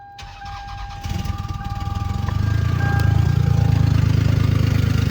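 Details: 1999 Lexus ES300, about 147,000 miles, running on maybe 5 cylinders with a serious exhaust leak: cranks briefly, catches, then a lumpy uneven idle with puffing exhaust tick about twice a second; misfire with exhaust manifold manifold gasket leak.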